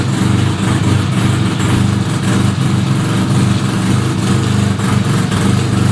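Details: 1975 Suzuki RE5 rotary motorcycle just after full restoration: steady idle with uneven churning rattle over engine note; transmission noise, cause not yet pinned down.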